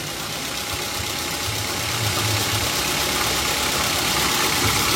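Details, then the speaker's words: Gasoline car engine just started at idle: smooth, even hum with no knocks, ticks or misses, a normal healthy engine given as a reference. "Ini suara mesin mobil dalam kondisi normal ya teman-teman ya"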